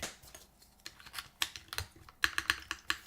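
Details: Mode Sonnet keyboard with fully modded Banana Split switches, mode foam and aluminum plate; typing after tuning and lubing the spacebar stabilizer: crisp key clicks and a soft, damped spacebar thud, no rattle or ping; quiet spacebar.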